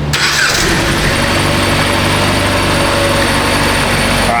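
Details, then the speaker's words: 2015 Jeep Patriot towed in cold and frozen as a crank-no-start with a weak battery on a charger; after the relay is reinstalled it catches right away and holds a steady, even idle under heavy background noise, starting and running normally on its own. "shut it off so it starts and runs on its own now that's handy not really"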